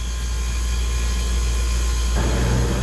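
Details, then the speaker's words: 30-year-old water-cooled walk-in cooler compressor, possibly down for weeks, now running: deep steady even hum, no clicking or stalling; drawing 6 amps, sight glass full. "but she's drawing good amperage six amps sight glass is still full this is really good news for the customer"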